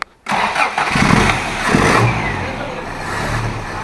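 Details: Toyota Hilux with weak spark, already fitted with a new coil and points, just had a new condenser installed on the ignition circuit: brief crank, then it catches promptly and settles into an even idle, ignition firing strongly.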